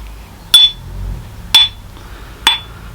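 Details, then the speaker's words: Ring test on the old grinding wheel of a nearly 100-year-old Herbert Junior surface grinder: three taps give dull clicky thuds that die at once, unlike a newer wheel's higher ring; possible crack suspected. "and as you can hear they're quite dull thugs which means there may be a crack compared to this newer wheel where you can hear the sort of higher pitch ringing sound"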